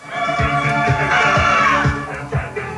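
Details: Vintage Realistic 8-track stereo player from the early to mid 1970s on the workbench during service: music plays clean and steady with no crackle, dropouts or speed wobble; player runs properly, controls need no cleaning.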